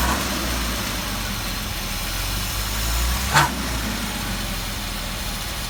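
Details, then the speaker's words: 1978 Jaguar XJ6 Series 2 barn find, off the road 24 years, idling: a loose dry rattle from the front belt drive; removing the alternator/water pump belt pinned it to the water pump, which needs replacing. "taking the air the belt off the alternator and water pump and it's the water pump making the noise"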